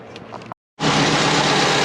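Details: Twin-turbo Subaru Forester after replacing power steering fitting o-ring and refitting internal wastegate: catches after short pause, settles into smooth steady idle with no knocks, whine or hunting.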